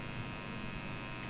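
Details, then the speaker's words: Fender Japan '50s Stratocaster with guitar volume up, not played, through Line 6 Helix Native with the noise gate off: steady low electrical hum with faint buzz, the 60 cycle hum, silenced once the gate is on. 60 Hz mains hum. "so this is the 60 cycle hum that's coming out."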